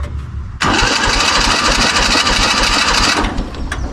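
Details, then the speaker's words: 1970s Kubota L1500 two-cylinder diesel tractor, sat about 20 years, on jump pack: starter spins the engine quickly and evenly for about three seconds but it never fires; seems low on compression, cause unconfirmed. "It spins over nice. Doesn't seem like it has much compression, though."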